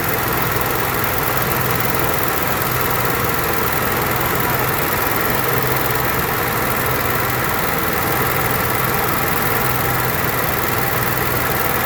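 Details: Onan Marquis Gold 5500 generator after carburetor cleaning and the mixture screw reset to about three turns off the seat (was two): steady, even drone with no hunting or surging; the surging is fixed.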